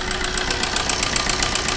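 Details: Maruti Suzuki Ritz engine with a loud noise complaint: a sharp, regular metallic tick, roughly seven a second, over the idle; engine knocking, cause not yet pinned down.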